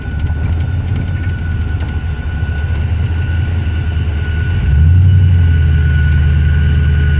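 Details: Chevrolet OBS Tahoe 6.0 prerunner with rod knock after shop work: deep rumble with regular knock about four a second sharpening as revs rise; cylinder 4 compression under half the other seven, smoking.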